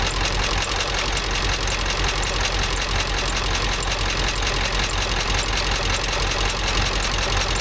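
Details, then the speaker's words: 7.3 Power Stroke diesel Ford F350 dually after replacing a bent pushrod: steady even idle with regular light clatter, no stray tapping or missing beats; sounds healthy after repair. "but let's start it up and see if it's any better. Sound better, but looks like everything's working right."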